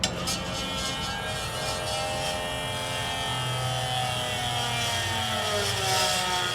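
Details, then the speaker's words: Electric-over-hydraulic trailer brake pump after tightening a leaking line connection at the front axle: steady motor drone whose pitch climbs as pressure builds, reaching full pressure with no sputter; the system still needs bleeding. "That's pressured up. At that point, we're going to go ahead and kill it, because we know that we did have a leak and the system has to be bled."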